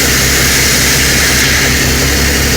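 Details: 1975 Kenworth LW924, in-cab air tank pulled up: loud steady high hiss of compressed air escaping where a brake air line sits worn through against a stud, likely from combined corrosion and rubbing; air brake system leak found.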